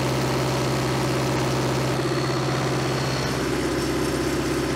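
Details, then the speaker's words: 1970s Cat D330C 4-cylinder diesel generator set (90 kW standby), sat 10+ years, at full throttle with no load, coolant not very warm: fast steady drone with even firing, no knocks or misses, slight smoke; healthy. "the water's not very warm i think we'll let her cool down a little for a few minutes don't really want a runner wide open for too long there's no load on it"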